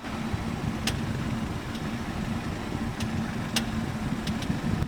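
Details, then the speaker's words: New BMW 3 Series, known common fault with official bulletin (G20 etc.): sharp irregular clicking over quiet idle while steering near full lock; electric power steering rack clicking, needs lubrication. "嘎哒嘎哒，嘎哒嘎哒，就这个声音，听见了吧？这个音响呢是宝马的一个通病，很多的这款3系呢都会出现。"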